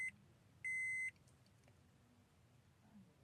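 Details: 2014 Honda Mobilio E, used-car inspection, ignition switched on from inside the cabin. A brief high beep, then one longer steady beep, then quiet; normal dashboard chime.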